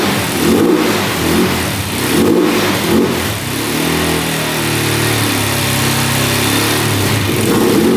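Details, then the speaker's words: 2004 Suzuki LTZ400 quad, sat for 10 years, after running out the flooding fuel and adding oil to the cylinder. The single cylinder blips up and settles back several times, then holds a steady fast idle. Owner suspects flooding caused the no-start. Normal revving. "she fired up so I knew it was floating out so it was just not enough compression when the gas floods it out and uh the spark couldn't keep up probably"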